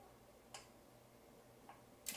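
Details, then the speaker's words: Audio Analogue AAphono phono preamp powering on from standby via short press of the central knob: relay clicks as all indicator LEDs light, then after a few seconds only the relevant ones stay on; normal relay clicks. "pressione breve sul mano per una centrale si sente il ticchettio dei re l'ente armi se cedono tutte le spie e dopo pochi secondi sono accese solo quelle che ci interessano"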